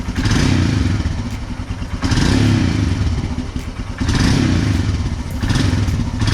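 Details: Royal Enfield Himalayan after battery replacement with new AMCO Z9: deep steady single-cylinder thump with throttle blips about every two seconds, rising and falling cleanly; healthy exhaust note.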